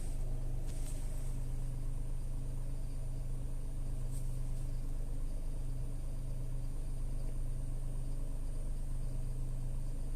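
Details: Tata Altroz naturally aspirated petrol, about 14 months old: low, even idle drone, steady with no knocks, ticks or whine; healthy normal idle.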